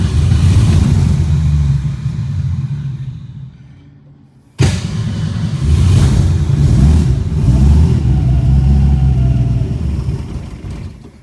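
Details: 1962 Ford Falcon, carburetor with manual choke, electric fuel pump: catches on fuel poured into the bowl, rumbles, dies after about four seconds, refires briefly; can't get fuel, stalling from fuel starvation.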